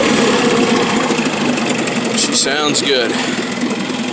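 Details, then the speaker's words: 2003 Johnson 8 hp outboard after lower unit gear oil change, running with Sea Foam: light, even buzzing at steady speed, no misses or knocks over background noise; running healthy. "Sea foam running through her, running like a little top."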